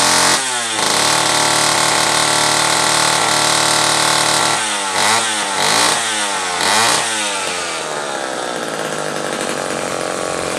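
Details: Homelite Super Wiz-66 chainsaw test run after carburetor repair: loud two-stroke buzz revs up cleanly several times and returns to steady run without stumbling or dying; saw runs properly.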